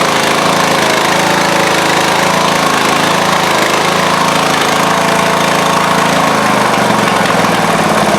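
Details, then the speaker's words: Craftsman riding-mower engine swapped into a Husqvarna mower, unrun for a couple of years, fresh oil: single-cylinder starts nicely and runs steadily but a little poppy, with occasional uneven exhaust pops; owner suspects it is from long storage. "Well, that started up nice. I guess the battery was good. It's a little poppy. I suppose it's been sitting for who knows how long, but it does run."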